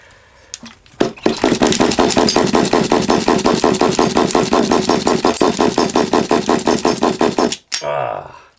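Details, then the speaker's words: Long-stored HPI Savage 21 nitro RC monster truck; rapid, fairly regular popping for about six seconds, then it cuts out; owner suspects the glow plug isn't getting enough power. "we had a fire we had a bit of fire i think it would go if it had enough power"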